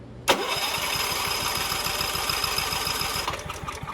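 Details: Mitsubishi MGE 4000 generator, sat unused for years, after carburetor cleaning but still on old gasoline with fuel petcock closed: pull-start catches, runs in quick even pulses about three seconds, then fades and stalls.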